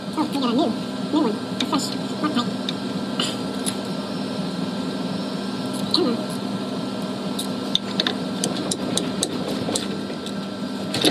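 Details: Whirlpool Cabrio stator-driven washer, spin-only test after replacing the split slider W10734521, which had caused a whistle in spin with no codes. Steady motor hum with only light clicks and no whistle; the spin now sounds normal.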